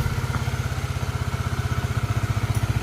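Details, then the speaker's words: Honda CBR engine rebuilt after oil starvation, worn camshaft head repaired, valve clearance set 0.18-0.19 mm, coolant refilled: even idle with quick regular exhaust pulse, no tapping; healthy normal idle after rebuild. "Tuh lihat motor sudah lumayanlah. Segini mah halus ya, Guys."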